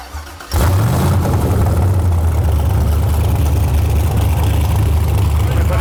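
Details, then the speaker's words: Built aluminum-block 5.3 LS Chevrolet V8 for a 1999 Porsche 911 swap, new cam bearings, ~49 psi oil pressure at idle, 160° thermostat, warming up: deep, even rumble, steady with no knocks or misses; healthy. "oh she's warmed up now good time it yeah all right so the idea is fire this thing up warm it up bring it up to Temp"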